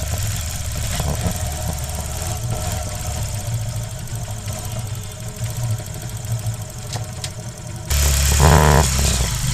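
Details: Hero Shine motorcycle after primary gear replacement, mic low near engine rather than by the tank: even low idle thump with no rattle or knock from primary side, crack-like noise gone; normal idle.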